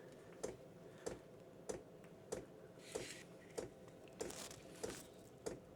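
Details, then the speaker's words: Chinese diesel workshop heater starting up, about two minutes to fire, combustion chamber warming: sharp single ticks about every 0.6 seconds, steady and even in a quiet room; normal constant dosing pump ticking. "you can hear the chamber starting to warm start to fire this little tick in is constant"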